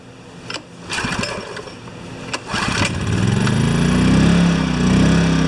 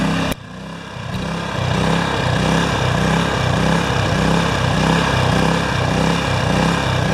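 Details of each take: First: Yamaha 1000-watt generator after reaming carb jets up a small step and new gaskets, choke on, fixing idle surging: pull-start clatters then engine catches and holds even steady note at maximum load, no hunting or surging; normal running. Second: Yamaha generator with Mikuni carburetor, test run after carb cleaning and float refit: rhythmic rise and fall about four swells a second, unsteady governed speed. The carburetor still has a problem, pointing to a fuel-delivery fault causing engine surging.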